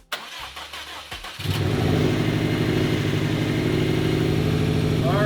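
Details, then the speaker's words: 2015 Subaru WRX STI EJ257 after engine rebuild: cranks briefly, fires and settles into a steady even idle with a deep uniform rumble; sounds healthy. "sounds healthy. Engine build went well"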